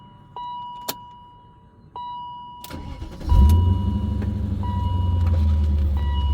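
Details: 2000 BMW M5 (E39), 340k miles, several exhaust leaks at the mufflers and resonator: door chime, then the engine cranks and catches with revs flaring and wandering unevenly before settling; rough cold start, cause unconfirmed.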